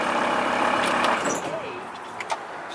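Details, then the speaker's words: 1996 VW T4 2.5 TDI (ACV engine): a loud grinding whir carries on over the engine right after it fires, then fades. The starter is staying engaged after the start. The owner suspects an earthing problem, since the dash clocks also reset. "So there's an earthing problem because when you turn the ignition on, one, the start motor doesn't want to disengage, so it's still engaging as you can hear it."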